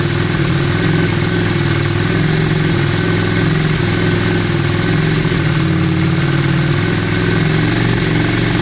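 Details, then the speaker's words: 2002 Yamaha Virago V-twin at idle after carburettor cleaning and tank clean; deep, loud, even beat holds steady without stumbling or hunting, sounding much better than before: normal idle. "Yeah, it does seem better. Yeah, it sounds much better. Much better. Sounds much better, guys."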